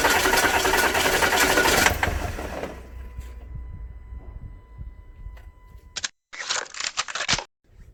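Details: 2010 Audi A4 2.0 TDI diesel after high-pressure fuel pump replacement and priming: a couple seconds of fast steady cranking, then dies away with no catch. Owner suspects insufficient fuel delivery from clogged filter or damaged new pump; unconfirmed.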